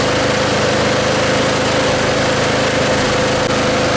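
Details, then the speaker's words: John Deere mower, warming up for an oil change: the small engine holds a steady, even idle with a constant beat and no misses or knocks. Running normally. "it's crank I mean it's cranking right up and running great so what we're going to do now we're going to start it up let it warm up"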